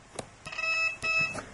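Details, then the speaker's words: Multimeter continuity check on a completed SC-3000 Survivors Mk I multicart between the 5 volt and ground lines before plugging into the Sega: two steady high beeps of about a third of a second each, indicating a short. "you know, that's bad, and you're going to fry something either on the board or on your computer when you turn it on. So that's the very first thing you want to check. No shorts between 5 volts and ground."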